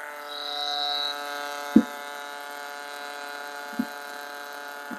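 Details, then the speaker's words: G64 brushless-motor single-dose coffee grinder grinding a 17 g dose: a steady motor hum with sharp ticks as the beans hit the burrs, the note changing as they drop; even, no strain. Normal grinding. "of course the grinding because this is a brushless motor so the grinder will be trying his best to grind the beans when the bins is dropping so you can see the sudden change of the sound of the motor when the beans is touching the burst right so that's perfectly normal right"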